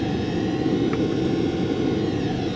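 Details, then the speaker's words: Chinese 2 kW diesel air heater at maximum 5 Hz pump pulse rate, about 2 A draw, slightly higher temperature rise: smooth constant whirring roar, no surging, popping or rattles, about 67 dB; running very well. "so the heat is running very well the sound [Music] at 67 decibels"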